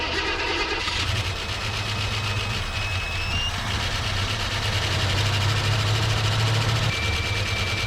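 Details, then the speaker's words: 1974 AMC Hornet abandoned 31 years, idling on fresh fuel, water pump turning, alternator not: a busy fast light chatter, about four per second, rides over a steady idle and is not quieting down. The top end is noisy. "I sure am hoping this M motor quits chattering so much."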